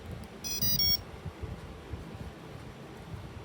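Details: T-Motor AM40 3D/4D RC plane speed controller: short tune of quick stepped beeps right at battery power-up with the throttle centred, then only quiet hiss, arming normally.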